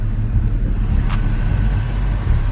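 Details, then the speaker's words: 2004 Ford Mustang GT 2V, idling: faint quick regular light ticks over a deep even rumble; owner unsure, calls it a Hemi-like tick, not yet diagnosed; engine ticking. "sounds like it that sounds like a Hemi tick but that's how it goes we gonna figure it out"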